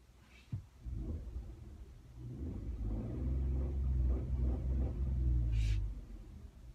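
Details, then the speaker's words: Engine recently partly rebuilt with new parts: deep steady rumble with faint, loosely regular tapping about three to four per second. The knock was heard leaving the dealership, then vanished on the road; cause unknown. "knocking I heard it when I left the dealership there too I thought oh jeez you'd hear like a as he left but then as soon as I went up the road it was gone so I don't know what that noise was"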